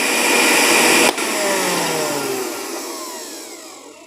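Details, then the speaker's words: Miyako blender (nearly 300 W) on a 450 W household supply with an iron also running: a loud high motor whir stops abruptly, then coasts down over a few seconds as the supply breaker trips from overload. "ternyata sudah jatuh, alias ini sudah ngetrip. Nah, ini kalau kita putar ke sini, nah itu sudah sangat berat ini. Ini sudah lendot ataupun lemot lagi. Kenapa ya? Karena listriknya ngetrip, tidak mampu, karena ya otomatis yang namanya meteran ini hanya 450 watt."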